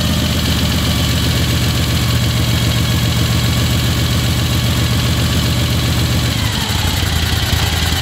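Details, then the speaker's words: 1975 Moto Guzzi with the choke plungers up: a fast, steady, rich idle settling slightly; with the chokes off it drops and nearly dies because the slides pass too little air at idle. "that's what I wanted to hear it idled really high at first because the the the choke flungers were up it's getting a lot of fuel"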